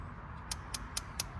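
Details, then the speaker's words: Weber Genesis II GS4 gas grill after replacing the dead AA igniter battery: sharp, crisp, steady clicks about every quarter second, then the burner lights with gas on; igniter sparking normally, the grill was not lighting before. "Hear that click, click, click, click, click? Turn your gas on, and there it lit."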